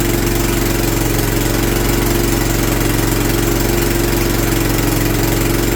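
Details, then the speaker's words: John Deere LT150 small engine at idle after governor replacement, not yet warmed up: a sharp ticking puff rides on each beat from a leaking exhaust gasket; fuel pump also suspected; replacement parts are on order. "wonder if it's that fuel pump you can hear my exhaust gasket too leaking let me warm it up a minute"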